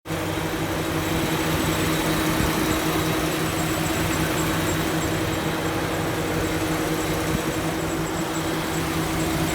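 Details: Mercedes-Benz W124 engine running steadily with a thin constant whine over a busy, rough-sounding idle; abnormal engine noise of unstated cause.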